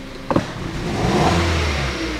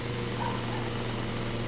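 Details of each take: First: 2012 Hyundai Solaris 1.4 automatic FWD, 108,000 km, check engine light on: brief stumble on sharp throttle, then rough, labored rev climb, rich fuel smell from exhaust; cylinder misfire, ignition coil or spark plug suspected. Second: 2012 Hyundai Solaris automatic, 108,000 km, previously misfiring, losing revs and smelling of fuel, after replacing ignition coil and spark plugs: steady even idle hum, no misfire, no check-engine light or errors, no fuel smell from exhaust; normal idle.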